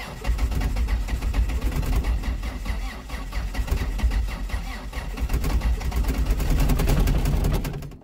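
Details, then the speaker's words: Diesel-swapped Toyota on 50% summer diesel and 50% centrifuged used vegetable oil, about 27°F winter cold start after glow plugs; starter cranks about three turns per second for seconds without firing, hard cold start. "so it starts a little bit hard but it does start"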